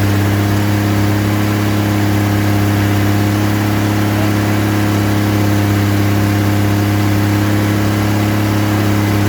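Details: Rebuilt 230 six-cylinder on first start, cam break-in at fast idle about 2000 rpm, 40 psi oil pressure, 180° temp, timing advanced to about 10° initial; steady even hum, no ticking or tapping, no smoke; normal.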